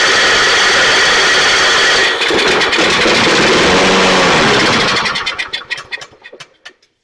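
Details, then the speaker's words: Toro 22-inch Recycler self-propelled mower, pull start previously seized and freed with oil in the cylinder, crankcase overfull with oil; fed starting fluid, it runs loud and ragged, sputters and dies, fuel-starved; carburetor suspected, not confirmed. "so the good news is it runs the bad news is it's not getting fuel unless I spray stuff into it"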